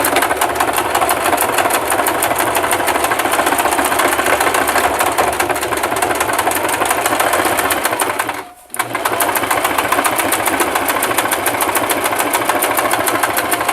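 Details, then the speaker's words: Singer Simple 3232 (also called 3252) sewing machine sewing a narrow zigzag at stitch width 2 with backstitch: fast, even needle clatter, a brief stop partway through, then the same smooth rhythm; stitching normally. "taking my presser foot lower it very gently start my stitch same thing applies with the zigzag you want to move back"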